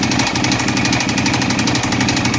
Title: 2012 DUCATI 848 KNOCKING SOUND PLEASE HELP!